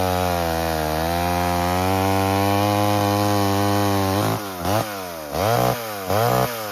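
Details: 1978 Homelite XL12 two-stroke chainsaw revived after years of sitting, cutting firewood: strong steady scream that bogs cleanly into each cut and picks back up; runs and cuts healthily.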